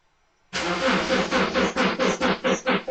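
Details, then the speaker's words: 2009 Subaru Outback at -5°F, with a long-standing hard cold-start problem, recorded from a distance: strong, even cranking at about two pulses a second without ever firing. Crank no-start in extreme cold, cause not confirmed. "It was cranking pretty good, but it didn't start. You might be able to hear it."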